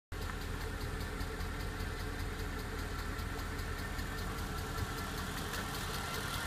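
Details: Mercedes E63 V8: fast, light ticking over a steady idle, unchanged throughout; ticking noise from the top end at idle, source undetermined.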